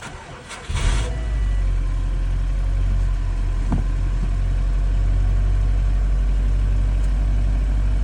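Cold start catches after a second, then a loud steady idle with an uneven ticking rhythm underneath, possibly knock, cause unclear.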